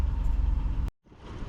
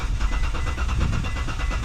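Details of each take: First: Gen3 Mitsubishi Montero at warm idle, about 881 RPM; smooth, low, even rumble with no ticking; a cold top-end tick (owner thinks oil drains from the top) is common on these engines. Normal warm idle. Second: Gen3 Mitsubishi Montero with a no-start: the engine cranks fast and evenly with steady compression pulses but never catches. Cranking speed is normal, not the faster spin of a broken timing belt. Fuel or spark is suspected; cause not yet confirmed.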